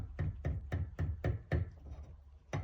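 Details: Subaru Levorg VM4 at about 104–105k km, treated for caliper knock: with a machined repair guide pin fitted at near-zero clearance, only light, soft taps about four a second remain, versus loud rattling with the factory pin.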